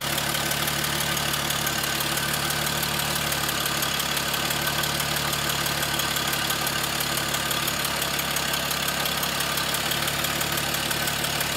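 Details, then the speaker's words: 1939 Hudson barn-find car: uneven, lumpy idle with irregular beats, sounding like it runs on only four of six cylinders, a misfire. Spark being rechecked; a not fully seated spark plug wire is suspected. It later runs on all six. "okay so we're gonna hook in the coil back up again and I will check for spark because it sounded like it was running on four cylinders"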